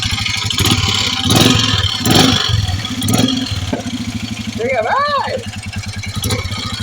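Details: Royal Enfield Meteor 350 at idle, with engine noise and pick-up complaint: steady single-cylinder thump with an extra irregular clatter; source not pinned down.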